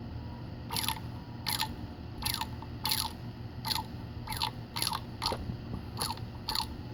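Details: Sharp crunching clicks about every three-quarters of a second over a low hum, a rough rotating-part noise; a bad bearing is suspected. Crunching noise.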